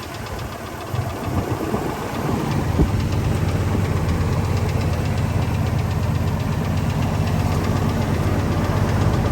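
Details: 1999 Ford F250 V10 at idle after the leaking spark plugs were fixed and the JB Weld had cured: a quick light tick about four per second persists; suspected bottom-end, so the oil pan comes off and new bearings are ordered.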